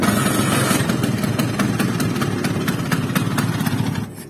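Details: Restored 1997 Vespa PX with standard exhaust: uneven two-stroke popping for about four seconds, then it dies and won't hold idle. The owner suspects the carb setting is too rich; the exhaust stays cold.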